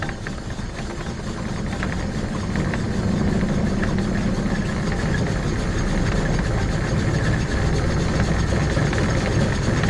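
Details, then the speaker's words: 2006 Arctic Cat Prowler XT 650 H1, reassembled after replacing a bad engine output shaft bearing: the low single-cylinder running has rough, gritty grinding over the drivetrain again after about 20 minutes of driving; root cause not yet found. "all right so uh got this thing back together everything was good and now it's grinding again doing the same thing it was before"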